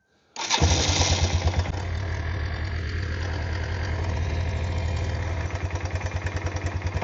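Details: Kawasaki Bayou 220 ATV, start right after oil and filter change: starts first try, settles into quick, regular single-cylinder putter at idle without misfires; healthy.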